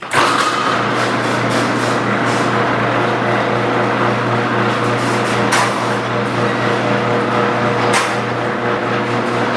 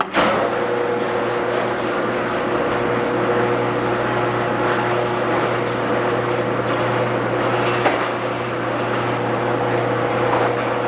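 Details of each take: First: Garage door with old metal rollers grinding, rattling and clacking over the opener hum, before replacing all 12 rollers with nylon ones. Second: Garage door opener after replacing all 12 metal rollers with nylon rollers: smooth run for about fourteen seconds with steady motor hum, then stops; quiet operation, massive improvement.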